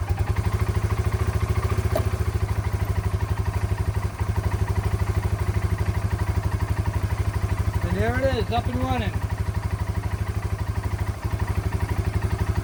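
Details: Yamaha Breeze 125 (Grizzly 125) ATV first start after about two years in storage, choke on, fresh fuel added, slight fuel leak: single-cylinder thumps at a steady, even idle, about three beats a second, no misses or knocks; sounds healthy.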